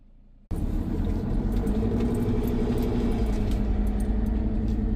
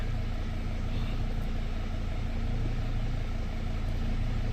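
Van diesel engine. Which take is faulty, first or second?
first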